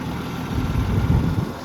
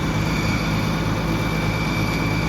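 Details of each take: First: Gas Oliver Super 77 tractor idling steadily after carburetor cleaned and points filed (it wouldn't start before); even low rumble, no knocks or misses, healthy idle. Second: Gas Oliver Super 77 tractor running at steady idle after plugs cleaned and points filed; thin constant high-pitched whine over the engine, owner thinks it's the alternator.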